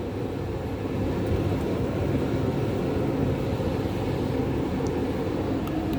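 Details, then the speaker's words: Hotpoint First Edition TL51 tumble dryer, 5 kg drum, possibly from September 1999, secondhand, on cool-down: steady dull rumble with even whoosh, no knocks or squeal; a bit loud, cause unclear. "I'll turn the cool down, and it's a little bit noisy because I got this from my auntie."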